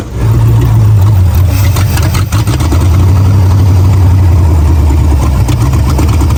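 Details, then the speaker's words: 1978 MGB V8 after setting timing and dwell angle, idling with choke held partly down by screwdriver: loud lumpy low idle with occasional sharp pops and stumbles, still backfiring; oil leak found at oil filter; cause of backfire not confirmed. "still backfiring so we still got some work to do"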